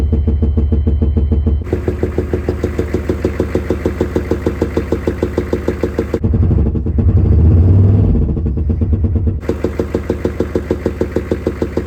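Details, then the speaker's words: Chevy 6.5L diesel idling with a sharp, regular knock about three times a second; an inspection camera shows a bent push rod on the second valve from the back. "it looks like a second valve from the back has a bent push rod"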